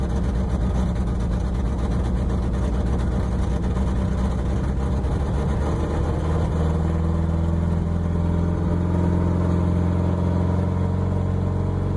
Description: Subaru has an exhaust leak and runs rough on cold starts